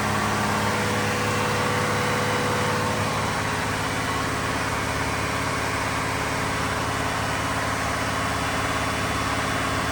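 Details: Diesel fire sprinkler pump on weekly half-hour test run, isolation valve closed, system on test; loud steady drone with even beat near three per second, no knocks or misses, normal running.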